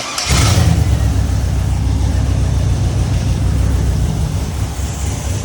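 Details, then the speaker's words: Chevy 5.3L LS V8 swapped into a YJ/CJ Jeep, after a new computer was fitted: it catches within a fraction of a second and settles into a deep, even, steady rumble; it starts and idles normally. "That actually sounds good though."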